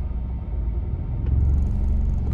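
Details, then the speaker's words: Peugeot 208 diesel with clutchless automated manual (MCP) gearbox: low, heavy diesel rumble that swells and shudders as the car moves off, severe vibration felt at the wheel; cause not yet found; vibration when pulling away. "뭐 차량 출발 하려고 하면 진동이 어머어머 게 있어야지 마모 다시 한번 제 보여드릴게요"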